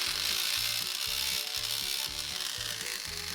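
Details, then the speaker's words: Wahl Lister Stablemate livestock clipper, reported loud by its owner, before repair: harsh, rattling grind with fast uneven chatter about four a second over the motor hum; worn cam bearing and gear, to be replaced. "I believe this Clippers loud as what the customer says alright I had to plug it in [Music] well done that sounds good I'm gonna ship it back no I'm just kidding that sounds horrible"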